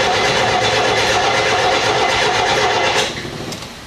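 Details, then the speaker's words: Leyland P76, unstarted for 5 months and previously running on four or five cylinders, cranking with throttle held to the floor: steady cranking about three beats a second, all six compression strokes sounding even, before the carburetor work. "Sounds like it's got six compressions to me. Whether they're high or whether they're low, doesn't really matter. They're all even."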